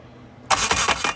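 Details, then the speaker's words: Car with a new Haltech Elite 1500 ECU, being cranked: about a second of harsh raspy grinding with quick pulses. Something at the back sounds like it is hitting; the starter was found held by only one bolt and is suspected. Abnormal cranking noise. "all right so something back here is what it sounds like is hitting but i don't see anything hitting"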